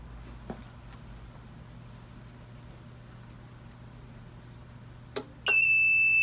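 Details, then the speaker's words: APC Back-UPS 550 found in the trash: after the battery is refitted, the self-test ends with a sharp, steady high-pitched alarm indicating a failed battery. Output was confirmed at 13.69 V, so the fault is the battery. "okay we're getting the alarm so if i hit that it cuts it off"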